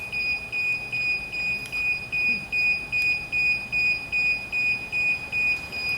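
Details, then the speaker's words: DJI Phantom 4 remote controller at first power-on: sharp high beeps, evenly about 2.5 per second. This means the sticks are not calibrated; calibrating both sticks and pressing finish stops the beeping. "자, 조종기에서 이렇게 처음 켰을 때 띠띠띠 나는 거는 조종기 캘리브레이션이 안 됐을 경우에 대부분 이런 소리가 납니다."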